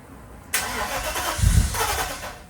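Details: 1995 Mercedes S500 (W140) starting after the dual fuel pump was converted to a single pump and a filter replaced: short crank, then a firm low rumble that settles quickly; clean healthy start, running beautifully.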